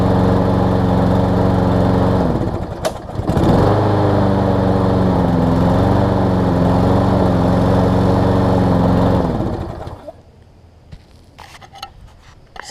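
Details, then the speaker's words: Lawn-Boy mower with Briggs 675 engine, said to sometimes not restart when warm, low on gas, before carb cleaning: engine drones steadily, sags once, then dies away; sounds starved for fuel or air, suspected lean-running dirty carburetor. "again start something starting on the first pull or second pull runs good sounds like it's starving for fuel starving for air a little bit"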